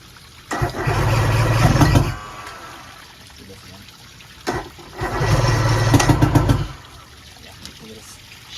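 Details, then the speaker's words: 1990 Johnson 130 HP outboard, previously seized and sitting 10 years, started on choke: two short bursts of firing about 1.5 s each, then dies. Float bowls empty and not drawing fuel; fuel pump suspected. "fuel down her throat she must take a lot of fuel oh the bowls are empty it's not sucking the fuel pumps something's wrong with the fuel pump"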